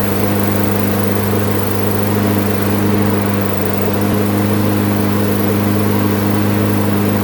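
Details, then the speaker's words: Craftsman front-wheel-drive mower, good plug, sharp blade, metal chunk removed from blade-adapter pulley, oil not yet changed: constant unwavering drone with no surging or hunting, holding steady governed speed; normal steady running. "Okay, that seems to have gotten it run steady now at least."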